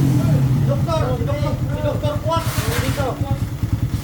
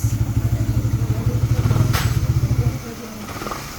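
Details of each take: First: Motorcycle idling after a recent clutch lining and spring replacement, noisy since the day before: a quick, uneven metallic rattle at roughly three per second from the middle of the engine, pointing to a broken balancer gear. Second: Motorcycle after clutch-side noise that began after lining and spring replacement: steady, even low single-cylinder thumping at idle with no clatter or rattle, then dropping away; now quiet after a minor assembly error was corrected.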